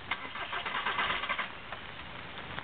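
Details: 2006 VW Jetta TDI diesel with an intermittent crank-no-start that the dealer cannot find, cranked after waiting for the glow plugs: the starter turns it over in a weak, uneven burst and it never catches. Crank, no start.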